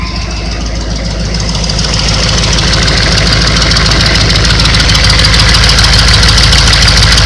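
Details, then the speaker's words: 1996 Chevy 6.5 turbo diesel idling with the intake manifold removed to find a diesel leak in the valley at the injection pump: heavy, extra-loud raw clatter (~200 beats/min) from open ports; leak found at a fitting. "hopefully you can hear this the engine's kind of loud obviously there's a couple open exhaust ports in the top"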